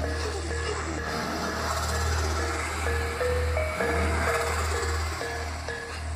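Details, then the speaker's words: Old JBL Charge 2 Plus Bluetooth speaker, battery replaced once: music plays with a harsh crackling buzz on low bass notes and low volume; owner suspects a loose speaker lead or connection, or a burnt driver. "um and no it's developed a terrible sound coming from this speaker here"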